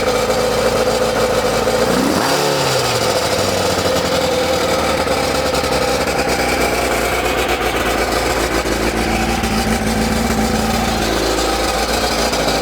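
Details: ZZR600 four-cylinder under restoration, restarted after fitting a cap in the exhaust: one brief blip, then an even, busy idle with no misses on all four cylinders. Normal idle; it hangs slightly on revs, and the owner hopes to adjust the mixture.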